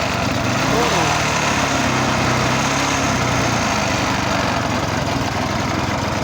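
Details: Vintage Maryland reel mower repowered with a single-cylinder lawnmower engine remounted upright, with an added oil reservoir and straw drip replacing the splasher, firing up and settling into a steady, even putter with no misses or knocks; runs cleanly.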